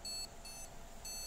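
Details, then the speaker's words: PC that keeps switching off and on, RAM already swapped for new and used sticks: shrill short beeps repeat about every half second in a quiet room, the memory-not-detected beep code; the fault is traced to a corroded motherboard needing replacement. "nah ini terdengar suara beep yang menandakan bahwa si mesin ini tidak bisa mengenali atau bisa mendeteksi tidak bisa mendeteksi adanya memori RAM"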